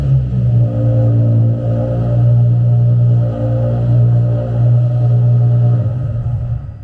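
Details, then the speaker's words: Nissan 350Z DE race car after Tomei Poncam install and fuel pump fuse refitted: catches almost instantly, quicker than in a long time, and settles into a steady, even low idle with no knocking or misses. Normal start and idle. "Guys, the car fires right up. The car fires right up. It has not started that quick in forever, so that's really nice."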